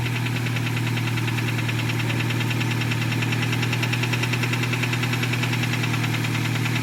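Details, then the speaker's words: 2008 Nissan Versa with high miles, first start after a fuel pump replacement that wasn't needed: rough idle with a heavy knock about twice a second, possibly from the bottom end (rod knock suspected). "now if you have the specially tuned ear of a mechanic i will say that that was a really nice wrap perhaps even a knock from the bottom end of that motor"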